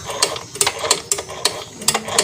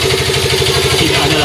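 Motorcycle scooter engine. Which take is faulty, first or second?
first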